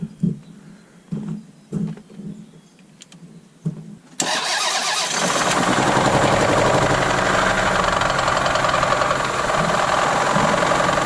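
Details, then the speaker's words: Lexus SUV engine run out of oil, oil then added by hand, jump-started: quiet clicking while cranking, then catches and runs rough and loud with a heavy clattering knock; oil-starvation engine damage. "The sound that you're hearing is $20,000 just going out your pocket. And they just put brand new tires in this thing too. That's sounding terrible."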